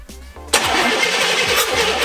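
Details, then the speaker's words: CJ-7 Jeep with Vortec 5.7 350 V8 swap, sat nearly 20 years, first start after engine harness rewire and new fuel system, full of oil: even cranking pulses for half a second, then catches and runs strong and steady; healthy cranking, good compression. "Wow, she sounds good. Not bad, not bad."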